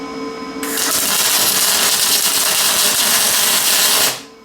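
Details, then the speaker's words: Lincoln 210MP MIG welder at 360 in/min wire feed, about 22 volts, on scrap metal: loud steady crackling sizzle of the arc that never smooths into a hiss; stuck in short-circuit transfer and unable to reach spray transfer. "it's a pretty decent running well I just can't no spray transfer it's like right there it wants to do it it it wants to spray but it just can't"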